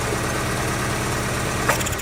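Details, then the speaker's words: 2004 Daewoo Lanos: rough, lumpy, shaking idle. Plug pull-tests show cylinders 1 and 4 dead and 2 and 3 working. Coil measured fine, but spark plugs measure 1.5 against a 2–7 spec. "Другий і третій циліндр працює. А перший не робить. Перший не робить. І четвертий не працює."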